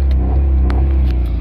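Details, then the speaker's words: Maruti Alto K10 with a long-crank start, low pickup and DTC P0340 for the cam position sensor circuit: the engine holds a steady high hum and will not rev past 4000 rpm, where it should reach 6000. "4000 से ज्यादा इस गाड़ी का RPM नहीं ए रहा है 4000 से ज्यादा गाड़ी कर के हमारा नहीं जा रहा है ठीक है फ्रेंड्स"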